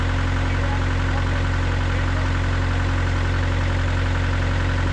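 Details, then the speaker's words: Gehl CTL60 tracked skid steer diesel after a bent connecting rod was fixed and new rings fitted, still breaking in: steady, even idle with a smooth low beat, no knock or miss and no smoke; running healthy. "there's no smoke there's no smoke coming out of it unless you're like really R yeah no smoke coming out running smooth sounds good"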